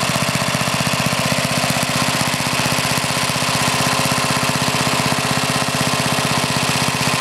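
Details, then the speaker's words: Older Briggs and Stratton, one-piece Flo-Jet carburetor, high-side mixture: idles great, but under throttle a fast uneven chug about three beats a second, loping and stumbling, black smoke, trying to flood; main mixture too rich. "again you can see it idles great but as soon as you get a throttle it starts chugging black smoke running to rits trying to flood out"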